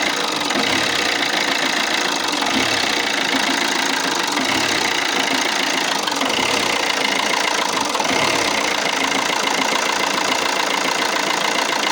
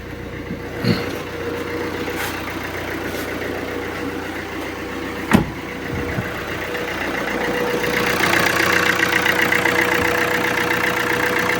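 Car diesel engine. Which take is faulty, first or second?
first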